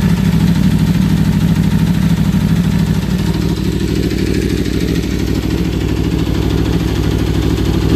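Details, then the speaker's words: 2015 Aprilia RSV4 V4, 4,600 miles, warmed up, recorded around the engine: steady even idle with light regular ticking over a low rumble, no knocks or misses; the owner says this is its natural sound. "that's just natural sound from the v4 and from the Aprilia that we have so I just want to share my Aprilia sound just to prove that there's nothing wrong that's how it's supposed to sound"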